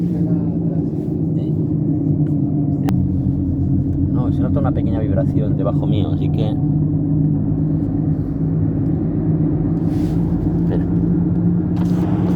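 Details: Toyota RAV4 recorded from inside the cabin while cruising: steady low droning rumble under road noise with vibration, from a damaged left rear wheel bearing.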